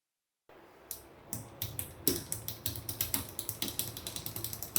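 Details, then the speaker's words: Bicycle rear derailleur, high limit screw turned clockwise a quarter turn at a time: quick ticking, about five a second, with light scrape as chain rubs the next cog; shifter on the last cog but the chain sits on the second-last, screw too tight. "chain rub getting close another quarter clockwise reluctant but that's enough now note this the shifter is set for the last Cog S gear but the chain is actually on the second last Cog"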